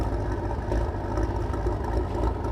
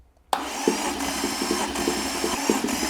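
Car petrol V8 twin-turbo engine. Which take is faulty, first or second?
first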